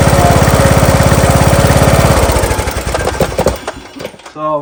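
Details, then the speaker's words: John Deere LA115 with 19.5hp Briggs & Stratton engine chugs, slows, stumbles and dies at idle, also smoking; spark present, plug looks rich, carburetor looks to be flooding, possibly bad needle overfilling; spark plug replaced. "She dies down at idle. I'll show you what it does. Also starts smoking too."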